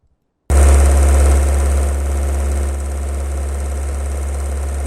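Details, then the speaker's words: Engine running at 1260 rpm in a lecture recording: steady deep drone that suddenly drops and turns uneven as one cylinder starts misfiring. "so this is when the engine is running with all the cylinders properly and then suddenly one of the cylinder is power and suddenly you can see that although from the wave front you cannot distinguish"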